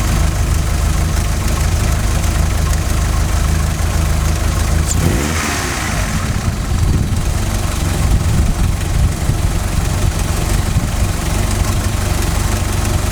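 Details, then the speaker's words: 16-valve Mk2 Golf GTI, idle screw set to 950 rpm, CO mixture at 0.7% versus 2% spec after MOT emissions failure: low idle lumping and wandering, dipping midway then recovering unevenly, engine rocking; lean rough idle before CO adjustment. "okay if the idle wanders or is or is lumpy engine visibly rocking it is rocking and it is wandering a little bit"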